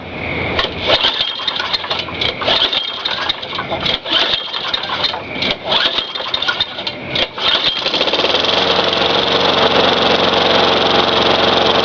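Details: Craftsman 4.5 hp Tecumseh 22-inch high-cut mower that had diesel in the cylinder, started after the fouled plug was torched clean: rough pull-start bursts, then a steady, even buzzing run while smoking blue from the diesel. It runs.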